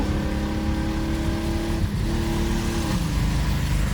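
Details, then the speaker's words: 1994 BMW 325i that sat off the road over 5 years, at full throttle while driving. It runs on 4 of 6 cylinders because two ignition coils are bad. The note climbs slowly, loud, flat and uneven. Two-cylinder misfire. "It's really slow, obviously because it's running on 4 of the 6 cylinders."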